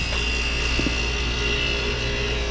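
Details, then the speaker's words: Another compressor at a water-cooled split-system refrigerator service call: loud constant hum with a thin high tone, compressor sounds terrible, better after being rocked; noisy compressor. "that's another unit that compressor sounds terrible it's this one right here sounds better since I rocked it man that was horrible"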